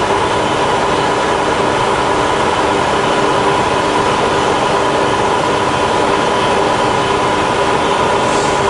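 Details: Fully rebuilt Bridgeport milling machine, just after the quill power feed's automatic bottom stop; even, steady mechanical whir with constant tone, no grinding or clatter; normal quill feed.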